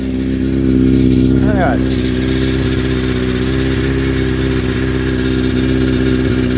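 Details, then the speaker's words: Honda CBR900RR Fireblade inline-four, just started at idle while checked for an owner-reported fuel smell and drips: fast metallic chatter over the engine note, about four per second, a very rattly, worn, slack cam chain; carbs also found leaking. "You hear that? It's a very rattly cam chain. That is very."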